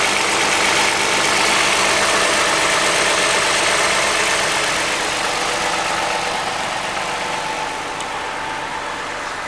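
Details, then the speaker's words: 2014 Toyota Highlander 3.5L, 92,000 miles, cold start, one quart overfilled oil: busy, louder-than-normal metallic clatter at idle, quieting as it warms; likely valvetrain from low initial oil pressure; referred to dealer. "it starting to quiet down a little more now so more than likely he's got some valvetrain things going on"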